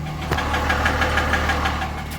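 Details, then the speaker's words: Cummins diesel with 253,000 miles (motor about 113,000) idling: sharp, steady bottom end rod knock about six times a second, heavy blow-by smoke, runs surprisingly smooth but dislikes starting. "kind of what she sounds like bottom end knock it sucks it's surprising how smooth it runs"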